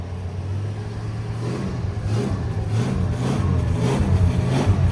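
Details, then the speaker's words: 1965 Plymouth Barracuda slant six, parked since 1994, first run on temporary fuel: deep even rumble building smoothly with revs, no knocks or rattles, not smoking badly, won't idle on its own; engine sounds healthy. "That's not bad. That old motor sounds good, don't it? Yeah, sounds way too good."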